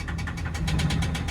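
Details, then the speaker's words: Car just collected from a Copart auction in the USA, idling: sharp, regular engine knock, about eight taps a second, over a low rumble. "так что без проверки покупать нельзя двигатель застукали это все понятно"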